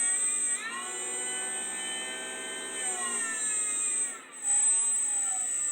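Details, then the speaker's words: 3D-printed axial flux BLDC motor, 8 magnets, 6 coils, sensorless Hobby King controller, batteries not fully charged, first test: clean, high steady whine sliding with speed, no rubbing or clicking; normal running with high torque. "And my batteries aren't even full charged. This is pretty cool. Yeah, oh, it's a lot more torque than that one puts out."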